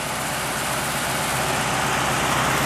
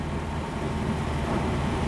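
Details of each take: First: Truck running on wood gas from homemade gasifier: steady, even idle with a smooth low rumble and no misses or knocks, after fixing fuel starvation, idle earlier noted high; normal idle. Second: Truck converted to run on wood gasifier fuel, all four wide open after fuel starvation: steady, fast, even engine drone with no dips, idle well above normal; idle speed set too high and needs adjusting.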